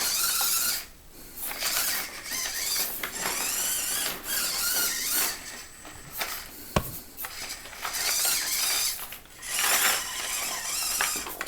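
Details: SCX24 JLU with OGRC CVD axles and underdrive gears, after reinstalling the stock knuckles in place of brass ones, dual rate fully up, battery nearly dead. A high thin motor whine rises and falls with throttle, with no clicking or binding; the drivetrain spins freely.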